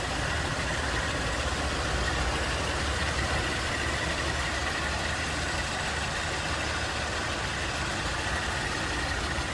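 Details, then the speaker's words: 1977 Ford LTD II Squire Wagon, 87,953 miles believed original, original-looking engine bay with newer radiator and AC hoses: steady smooth low idle rumble, no knocks or misses; looks and sounds as expected, normal idle. "Looks and sounds like you'd expect."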